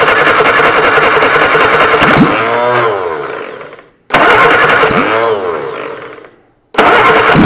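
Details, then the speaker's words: Robin Reliant Supervan engine just rebuilt with valves reseated, timing set by hand, first start on choke: catches right away, runs smoothly, winds down, fires again cleanly; a healthy start. "that sounded nice let's pull more Fu D it yay right release the choke that sounds really sweet"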